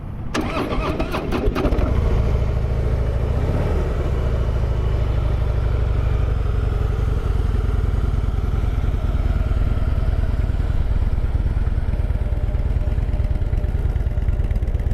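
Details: Used 2015 Harley-Davidson Heritage Softail Classic FLSTC with ABS at 12,705 miles, after a certified pre-owned inspection: quick crank and catch, then a smooth, quiet, even V-twin idle with no knocks, ticks or strange noises.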